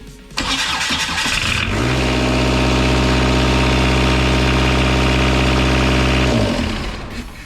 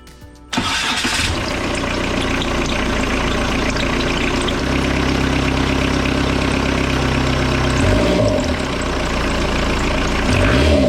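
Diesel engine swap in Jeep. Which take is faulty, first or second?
first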